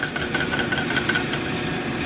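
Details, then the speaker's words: South Bend lathe after swapping the slipping leather belt for a new serpentine belt: constant busy rattle with irregular chatter over the spindle hum. Back gear rattle stops when tension is put on the chuck; cause not confirmed. "i hold my hand on the chalk put a little bit of tension on that that back gear stops rattling other than that it's very nice and quiet it's running good"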